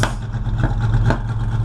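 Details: Rich-running engine with smoke from the tailpipes: rough running with sharp irregular exhaust backfires about every half second; owner suspects ignition timing is off 180 degrees.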